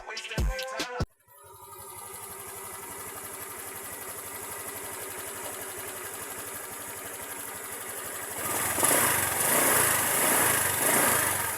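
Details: Honda Click 150i/125i scooter after fixing vibration by fastening the cover to the hugger with a tie; settles to an even steady idle, revs smoothly with no rattle or buzz from the panels.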